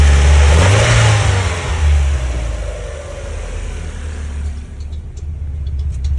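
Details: 1994 Mazda Miata at low idle with an uneven stumbling pulse about three times a second; rough tip-in, idled fine with MAF unplugged; misfire traced to a failed, clogged fuel injector.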